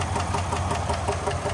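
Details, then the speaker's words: 2022 Chevrolet Suburban V8 with flashing check-engine light and cylinder 7 misfire count on scanner; at idle a fast, even tick about five per second over the low rumble, later traced to a failed lifter and bent pushrod on cylinder 7. "al golpeteo en el motor. No sé si logran escuchar. Entonces más yo apunto a lo que es el el problema dentro del motor."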